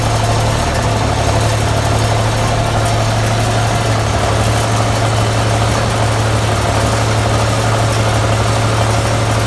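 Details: 1984 Peterbilt 359 with Cummins 855 CPL 838 high-compression diesel, just in-frame overhauled after scoring cylinders two and four; deep even rumble at steady idle, no knocks or misses: normal healthy diesel idle after rebuild.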